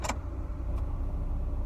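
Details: Mazda Miata 1.8L NA petrol engine idling with a low, even hum and no ticking, after an oil change with additive cured a hydraulic lifter tick that had worsened from warmup-only to constant.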